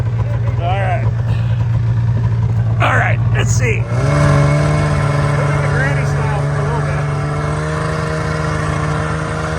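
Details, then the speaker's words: ZL550 two-stroke snowmobile after a no-start fix; it had spark and the problem turned out to be fuel. Crisp rev-up, then a steady strong buzz with clean pickup. Normal running. "oh my God you're right something it just makes you smile you're right it does rip from 550 that's pretty quick"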